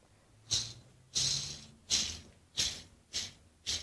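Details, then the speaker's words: Treadmill induction motor from a bandsaw, old bearing removed and spun by hand: six short, gritty rasping whirs, each fading; the single worn bearing makes more noise than the whole motor. "when you hear that that sounds awful even that one bearing it's making more noise than the whole motor now"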